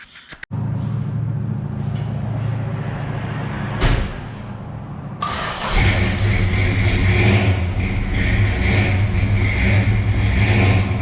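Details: 1969 Dodge Coronet 500, numbers-matching 383 V8 with 4-speed manual, heard outside after startup. Mostly stock engine with a bigger cam gives a deep, choppy, loping idle that otherwise runs even and healthy.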